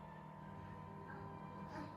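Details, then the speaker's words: Samsung RF28HFEDBSR fridge hums and buzzes from the back as the evaporator fan behind the rear panel clips ice built up on the coils; the noise stops when the door opens, pointing to a faulty defrost thermostat or defrost switch. "what's happening is in the back panel here there's ice building up there's a fan that spins and it's as ice gets thicker the fan Clips the ice"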